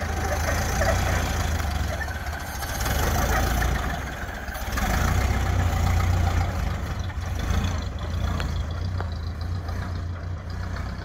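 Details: 1931 Ford Model A, flathead four, 200.5 cu in, about 4.5:1 compression, just revived after 65+ years stored; slow, low, even putter with steady beats and mild swells in level; smooth normal low idle.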